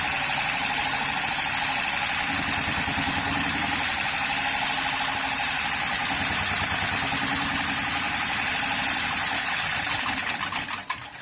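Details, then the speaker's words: 2013 Honda Pilot J35 V6 after the timing belt slipped while driving, likely bent valves and no compression: uneven loping idle of about four pulses a second, then cuts out; rough running, possibly flooded. "I would say it sounded like it was flooded originally when I was starting up anyway, because cylinders can get washed out."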